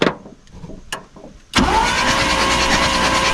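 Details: Dodge farm truck sitting over 25 years: starter churns steadily with even whirr but engine never fires; spark at points confirmed, coil power checked, suspected miswired power and earth at coil.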